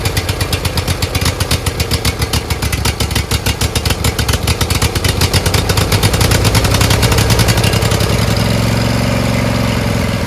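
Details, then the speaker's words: Briggs Intek V-twin on a Craftsman LT1000, after a sump gasket repair: it runs with a rhythmic rise and fall in speed. Owner suspects the homemade governor spring is set wrong, since it runs well when he holds the linkage by hand. "So it runs, but it surges. I think it's that spring thing is wrong. When I put pressure with my hands, it runs pretty good."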